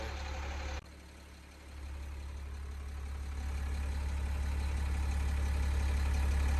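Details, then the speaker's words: Ford 550 backhoe diesel with a newly fitted injection pump and injectors, cranked on a jump pack: steady, low cranking chug of about four beats a second that never fires. It smokes, fuel is present, and it pops out the exhaust and intake; blown head gasket. "Smoke, got fuel down there, but it's popping out of the exhaust, out of the intake. So there's definitely something going on."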